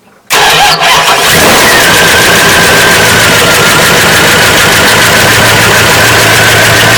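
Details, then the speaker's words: Old lunch truck, carburetted gasoline engine, cold start after fixing fuel trickling into crankcase; started after pumping the gas, catches quickly then runs loud, stumbly and ragged on choke, starting to come around or about to stall. "So far so good. It's a little stumbly, but it sounds like it's starting to come around, or it's going to stall."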